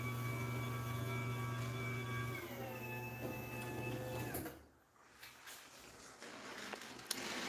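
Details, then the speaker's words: Garage door opener run without the door: loud steady electric whine with high buzzing tone shifting partway, then winding down; opener motor very whiny. "and this thing sounds like crap all right without the door [Music] yeah really whiny"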